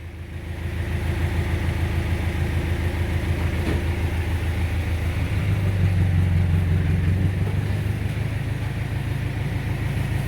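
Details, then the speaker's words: 1991 Mazda Titan 1700 kg truck, HA diesel engine, at idle: steady, even low chug with no knocks or misses; engine runs smoothly and healthy. "Ну, работает ровно двигатель, вполне."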